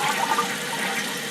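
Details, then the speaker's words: Old toilet after Fluidmaster fill valve install: steady hiss of the tank refilling with no flush because the mushy worn rubber flapper leaks water into the bowl; new flapper is the fix. "that rubber stoppers getting mushy so the water still leaks into the bowl from there"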